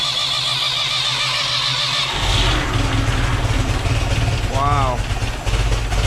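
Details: 1968 Ford 5000 diesel tractor, barn find sat 10 years, first proper start after garage restoration work: catches after a couple of seconds into a steady, even diesel rumble, music over it; healthy start and idle.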